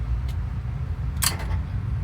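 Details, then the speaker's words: '94 OBS Suburban LS swap, newly wired engine harness and relay board after fixing swapped blue/green wires: single sharp relay click at key-on as fuel pump relay switches; relay now working as it should. "Throttle body, I heard the relay click off for the fuel pump. That means starter should start cranking."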